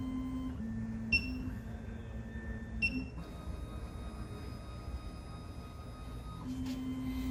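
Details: SEC-E9 key cutting machine running its calibration cycle with the calibration block clamped tight: steady motor hum stepping between a few even pitches with short clean chirps, no grinding or knocking; the calibration is running normally.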